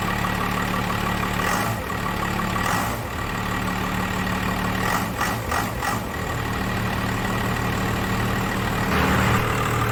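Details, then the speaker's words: 1998 Dodge Ram 2500 12-valve P-pump Cummins diesel, 687,000 km, after valve lash adjustment (intake/exhaust ten/twenty thou): deep, even idle with steady clatter and a few handling clanks; valvetrain properly adjusted, running way better. "running way better already"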